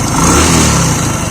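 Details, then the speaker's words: Single-cylinder bike after piston/block rework to cure white oil smoke: short smooth, even idle with slight rev, no knocking or rattle; sounds perfect and smoke has stopped. "एकदम perfect आवाज है, उसके साथ साथ धुआं दिखाता चलता।"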